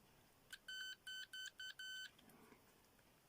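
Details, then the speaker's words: Homemade late-1980s pitch-indicating continuity tester, placed in a plastic box for loudness, checking points on equipment: five short clean high beeps, each marking a connected pair. "um you see if you're doing some uh continuity testing on a piece of equipment you can easily go"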